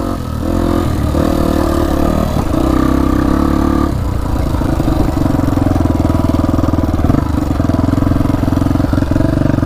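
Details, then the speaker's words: 1999 Honda XR250R once flooded in a lake, top end rebuilt, still warming up and breaking in at fast idle: light quick tick over the exhaust beat; top-end ticking, cause not pinned down. "Yeah, I can really hear the ticking. Still warming this thing in, by the way."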